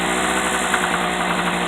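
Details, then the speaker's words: Harbor Freight portable 800/900 W generator idling: a busy, buzzy drone with a light metallic rattle that comes and goes. The rattle is an exhaust ping, not an engine knock, rod-bearing play or piston slap. "Um I'm going to tell you it's not it's not an engine knock. It's not an engine rattle."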